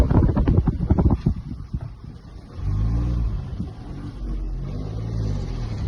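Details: Mahindra XUV 3XO climbing hills under load: loose, uneven rattling over the low engine drone while driving; source unclear.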